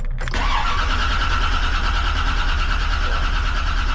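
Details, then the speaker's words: 1956 Bel Air with an intermittent no-start, cranking after battery charging. Steady even starter cranking with no firing; the scanner shows 0 injector duty cycle, injectors not firing. Stored codes possibly from low voltage, cause unconfirmed. "Looking for an injector duty cycle. Still nothing. Huh. Why is that? Why do I have a 0? And how fast is my crank now?"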